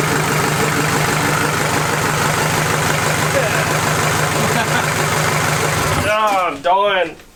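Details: Toyota 40 series LandCruiser B diesel engine, first start after rebuild: even, regular clatter at steady idle with no knocks or hunting, running sweet; normal idle.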